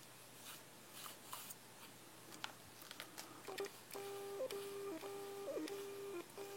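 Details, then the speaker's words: New Canon EF 40mm f/2.8 STM lens on a powered camera, manual focusing: short bursts of thin electric whirr that stop and start as the focus ring turns; normal STM stepping-motor noise, though loud enough to be heard on an internal-mic video recording. "Neviem, prečo je to tak, keď pri automatickom to vydáva asi nejaký takýto zvuk. Takže je to v pohode na auto, ale na manuálnom to je na videu, proste by to bolo strašne počuť."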